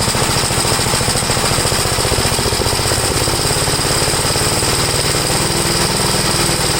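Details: 1962 Gravely L-I single-cylinder, warmed up after a valve adjustment, compression 45. Carburetor high side adjusted; leaning it further stalls it, so it is left as is, seeming slightly rich. Fast, even beat with a slightly soft edge. Possibly slightly rich running.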